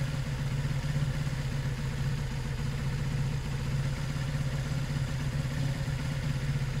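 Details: Zontes 125 after a fuel tank flush of rust, twigs and water, warming on choke: smooth, even idle with a steady fast putter and no misses or knocks; normal idle.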